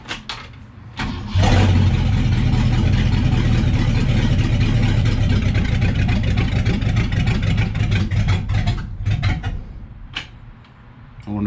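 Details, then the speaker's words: Freshened 390 FE V8 in a 1966 Ford Galaxie, first start, in neutral, fuel dripping at the filter, distributor just moved: cranks, catches, runs uneven and lumpy, sagging near the end; owner suspects not getting fuel, not dialed in. "not getting fuel [Music] all right she's not dialed in perfectly but she'll run to get around the yard"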